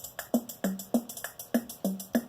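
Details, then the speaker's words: Lowrey L2 organ with a rhythm IC removed from its socket: each rhythm-section key press gives isolated dry drum hits about three per second, no full pattern; owner suspects a logic IC. "When you press a key down here in the rhythm section, notice it's playing that drum beat. If I hit another key, it hits another drum beat."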